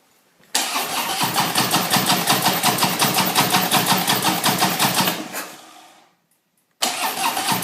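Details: Harley-Davidson motorcycle cranking long and evenly at nearly three strokes per second, dying away without firing, then cranking again; raw gas smell noted, turns over but won't start, cause not identified.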